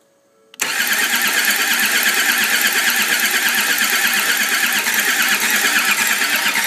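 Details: Land Rover Td5 refusing to start; starter spins the engine in a steady rhythm of about three beats a second but it never fires, crank no start.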